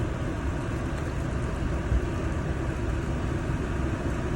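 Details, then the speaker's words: 2024 Toyota Land Cruiser A/C on 60° low setting, fan turned up: strong steady rush of air with light flutter over low engine rumble; healthy blower airflow here, though owner reports the fan cuts power significantly at higher temperature settings like 62. "that's pretty decent power right there"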